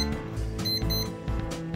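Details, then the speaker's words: Kids' analog alarm clock run on a bench supply of about five volts after battery contacts corroded by leaked batteries; repeating bright clean beeps in quick bursts when the alarm is on, alarm sounder working normally. "all right so I have determined when the alarm is on and the red arm part of that section it beeps"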